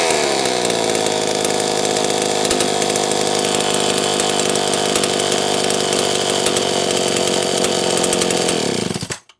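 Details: Homelite Super 1130G chainsaw after spark plug wire trimmed about 1/4 inch and sleeved: steady high-revving buzz holding even speed without misses, then cutting off cleanly; running healthy, condenser no longer blamed.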